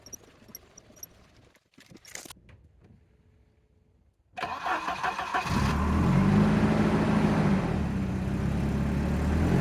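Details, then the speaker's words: 1989 Volvo 740 GL saloon, a field find left parked for at least 3 years. A brief crank, it catches at once and settles into a steady, even idle with no misses or knocks. A normal start and idle. "yeah always the same always the same hit the key and uh they far up it doesn't matter how long you leave them"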